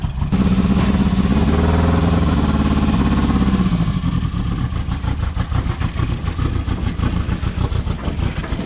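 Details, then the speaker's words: VW engine in a dune buggy, hurt on a trail trip and apparently run low on oil: lumpy, uneven idle with a stumbling, missing beat in the exhaust pulses. Misfire, running on three cylinders. "She's on 3 cylinders."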